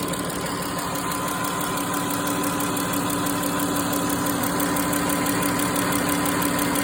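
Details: Pentastar 3.6 engine at idle: steady idle with a light, even tick about three per second over the engine, engine cover rocking; ticking source unknown.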